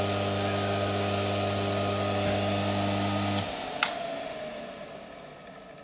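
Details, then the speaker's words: Used single-phase motor from a Shimizu PS-128 BIT water pump, running on mains through one winding only without capacitor after shaft was spun by hand. Steady clear electric hum, then power cut and it winds down; runs on one winding after hand start. "dan motor berhasil berputar AS nya berhasil berputar dengan bantuan tangan saya"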